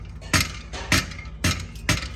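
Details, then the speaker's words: Removed clutch pressure plate from a vehicle whose gears would not engage when hot, shaken by hand; five loose metallic clatters about every half second, worn plate whose diaphragm and rings shift with heat. "un plato cuando ya no sirve ya se oye flojo soy yo ronco nada más al tito se mueve"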